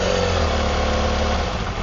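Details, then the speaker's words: Honda CBR250RR MC22 four-cylinder with a quiet exhaust, misfire test spraying start fluid into each carb: steady, fairly even idle sags and roughens as the cylinder dies (cylinders two and three), so those cylinders are firing okay. "Cylinder two died. Same cylinder three."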